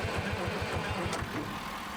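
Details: Euclid S7 scraper after sitting, in neutral, no fuel reaching the injectors yet, governor possibly stuck in shutdown; steady rhythmic cranking about eight chugs a second with no firing, cranks but won't start from fuel starvation.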